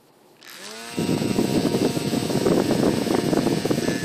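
A small motor spins up fast, then settles into a loud, buzzy rattling drone with a steady whine; it runs strongly.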